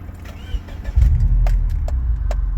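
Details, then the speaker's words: 2006 Subaru Legacy 2.5GT (Canadian, T6 oil, strict oil changes), already warm start: brief crank, then a low steady rumble settling into an even idle with no knocks. A healthy start with 30–40 psi oil pressure at warm idle and no check engine lights. "I'll just start it up just give you an idea what it's like so you can hear it"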